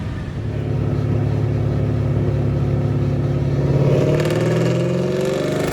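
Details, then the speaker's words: Ford Mustang "Godzilla" 7.3L V8 under full load on the dyno during tuning, about 413–416 hp with consistent runs; strong, clean climb in pitch with no knocks, misses or rattles; judged healthy because it's consistent. "so i'd have to say this engine's healthy yeah sure because it's consistent"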